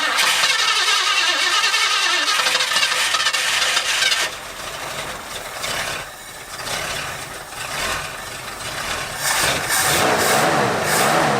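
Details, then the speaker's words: 1973 Ford Bronco 302 V8, stored about ten years, first start on a new fuel pump with carb bowls filled, cold: a soft, uneven idle that sags and hunts; it needs tuning work. "it sounds like weak idle yeah it's it needs some work"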